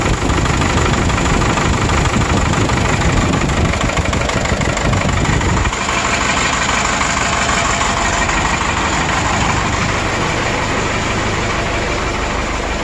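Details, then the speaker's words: 1996 Vermeer SC1102 stump grinder, 3.9L 4BT Cummins turbo diesel, low power and breather blow-by: loud uneven stumbling idle; number four cylinder running cold (90° vs ~150°), dropping out from low compression, mechanical engine damage. "i'm gonna use my uh temperature gauge i already kind of looked at it and it's number one that's actually i'm wrong it's number four because it's backwards"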